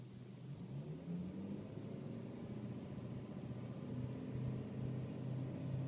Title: E39 M5 vibration sound at idle